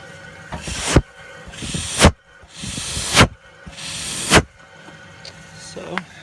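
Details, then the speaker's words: Saturn SC2 1.9 DOHC, cylinder 3 leak-down test: bursts of air hiss out the tailpipe, so compression is lost on the exhaust side. A bad or burnt exhaust valve is suspected. "so it's definitely losing compression on the exhaust side hopefully the Rings are okay you know if at least guessing is a bad exhaust valve or something's wrong with the valve"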